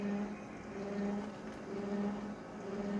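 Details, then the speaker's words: Older Konica Minolta copier making a copy: low, wavering squeak rising and falling about once a second over the running hum; source unidentified, called a bad sign. "see that low pitched squeak folks it's not a good thing for ya"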